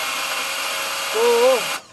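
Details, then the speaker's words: Mercedes CLA 200 CDI, 130,000 km, won't restart after auto-stop: starter whirs freely with a brief rising tone and the engine never turns, starter spinning without engaging the flywheel. "मैं केवल मोटर के चलने की आवाज सुन सकता हूं। मैं इस बारे में बहुत उत्सुक हूं कि क्या स्टार्टर मोटर चुंबक पैदा करने में असमर्थ है, या क्या फ्लाईव्हील में कोई समस्या है।"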